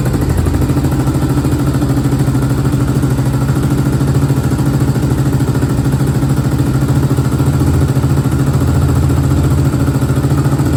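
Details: 2001 Honda TRX400EX ATV, customer reported a bog between idle and mid range: after chain adjustment and new sprocket bolts, steady, even single-cylinder thump at idle with a slight rev lift; sounds clean and healthy.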